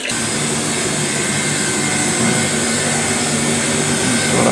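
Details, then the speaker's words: Lux Royal WH 1090 front-loading washing machine spinning at only 600 rpm, after its drum bearing was already replaced: steady, rough grinding roar with high hiss from a worn motor bearing (front 6201, rear 6202), which felt rough when turned by finger. "Ini keluar mesinnya suara berisik. Kemungkinan dari bearing dinamonya."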